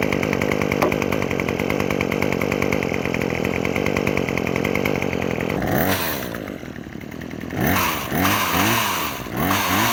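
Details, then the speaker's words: Craftsman WS2400 two-stroke pole saw after replacing old gas and fuel lines, adding fuel treatment and slight carburetor adjustment: steady even buzz, crisp throttle blips rising and falling cleanly; normal running. "all right well from what I can tell and hear the pole saw seemed to run much more smoother now than before"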